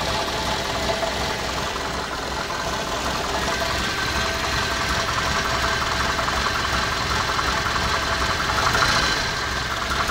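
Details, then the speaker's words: Cammed truck engine started after radiator replacement and wiring work, always idles like this: loud, uneven idle with irregular thumping about three per second and chattering top end, sounds like a missing cylinder; rough idle. "sure sounds like he's going to die too don't worry it's cam it always idles like this"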